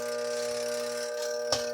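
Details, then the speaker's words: Sugar twin-tub washer motor: steady electrical hum with no spin-up and a sharp click near the end; motor turns freely by hand but locks when powered, stalling, bushings worn. "e pode ver ele também livre bem lisinho e não tem nada gravando mas quando liga trava"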